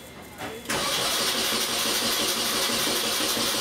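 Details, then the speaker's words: Engine cranking after cause of heavy starter draw fixed, plugs reinstalled: brisk, even starter rhythm with no drag; about 100 A cranking current versus almost 500 A before; cranking now normal. "okay all right that's better still have a lot of hash in here I don't know exactly where that average is maybe around 100 amps of current compared to 3 400 almost 500 amps before that's definitely a fix as far as getting this thing cranking normally"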